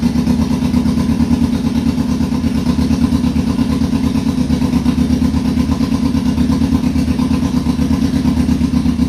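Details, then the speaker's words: 2002 Yamaha Fazer 1000cc four-cylinder motorcycle, cold start after sitting over two months, carburetor cleaned: steady, even idle with a smooth, regular firing pulse and no misses; all four cylinders working. "cleaned up the carburetor and great news all the four pistons are working"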